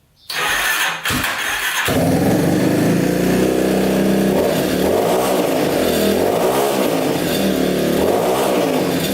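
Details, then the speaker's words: Yamaha Warrior 350 quad, single cylinder, after carb cleaning, fresh fuel, float lowered: cranks, catches, revs in slow heavy burbling surges; still running rich, exhaust pipe suspected, unconfirmed. "It's gotta be that pipe. It's still sounding really rich."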